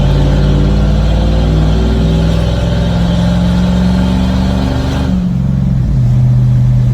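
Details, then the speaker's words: 1989 Ford F-250 with 460 big-block V8, brakes just replaced: a deep, strong run pulling smoothly through the gears with no misses or knocks or smoke. Check-engine light shows an O2 code despite a new sensor. Healthy acceleration. "So runs fine, doesn't smoke. As you just saw, it got up and went."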